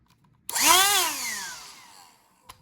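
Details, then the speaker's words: Black+Decker CHV1410L 16V Dustbuster, years old, partly disassembled: bare motor spins up with a clean high whine and coasts down smoothly; runs freely. "it's working well."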